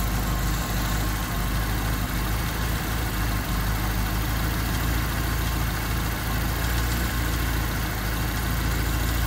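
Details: Honda D16Y8 (P28 ECU) with a rough, hunting idle that sags and nearly stalls as soon as the gas is released; new spark plug wires and the cleaned, reinstalled IACV made no difference, cause still unknown.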